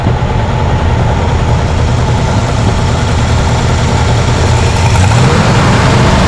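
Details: 1967 Chevrolet Impala 283 V8, lumpy loping idle after about a quart of ATF trickled down the carb over 10 minutes; no change, so not a gummed valve but a mechanical problem, possibly one cylinder's valve not sealing; carb fuel leak also present.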